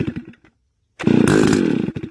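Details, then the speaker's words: STIHL FS280 brush cutter, pull-start with choke closed and throttle closed; a few cord tugs, then it fires about a second and sputters out, the expected first kick before opening the choke; normal first fire on choke. "so that's the kickart you want now you will turn the choke to open"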